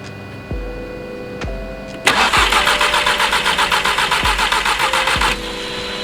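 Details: Golf R that died on the freeway with a stuck-open, leaking injector, with the spark plugs refitted. The starter churns at about four beats a second for three seconds and never catches; cranks but won't start, and no spark is suspected.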